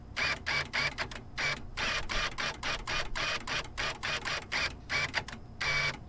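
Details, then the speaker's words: 1997-2001 Jeep XJ power door lock actuator, opened on the bench with stripped gears inside, then plugged in: repeated short buzzing motor bursts that whir and cut out without a firm final clunk; stripped actuator gears slipping, replacement needed. "Alright, well, here's the inside of it, and there's another set of gears underneath this I can't get apart, and there's something in there that's stripped out."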